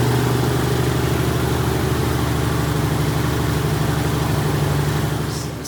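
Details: Freshly rebuilt 1977 Toyota 2F engine (new rings, bearings, head shaved 0.40, new carb, headers) in a 1982 FJ45 pickup, break-in at 1,500 rpm for 15 minutes: smooth, even fast idle with steady low hum, no knocks, misses or ticks; normal.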